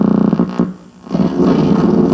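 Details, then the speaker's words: Chrome-button Pontiac red-dot AM/FM radio on the bench, rear channel connected: loud raspy buzz with music coming through badly distorted. Cause is unknown; possibly a weak power supply, or the radio needs servicing. "and you can hear the music coming through but it's distorted"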